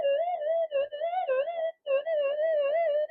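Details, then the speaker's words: Modified older pulse induction metal detector pushed for small-gold sensitivity: a wavering, warbling squeal with dropouts as the frequency is raised, the phase-locked loop fully out of lock; fix is turning to full frequency, switching off and back on. "it's cracked it it's the pl totally out of Lock and it's very easy to fix or problem turn up turn it full full frequency and turn it off turn it back on and it'll be perfect again"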